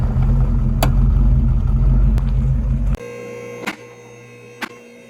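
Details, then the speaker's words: 1979 Pontiac Trans Am 10th Anniversary, 10-bolt 8.5-inch limited-slip rear end: low rumble then sharp pops and clunks about a second apart when turning in driveway, tires jumping; limited-slip clutch chatter, fixed with fluid change and additive. "Hear the rear end clicking and popping. Just clicking and popping to the point where the tires are jumping."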